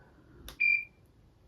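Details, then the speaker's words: LVAD heart pump controller during a dressing change: a short, high-pitched electronic beep in a quiet room; the controller alerting that its batteries need changing. "That beeping is my LVAD telling me I need to change the batteries. But as you can see, I can't leave."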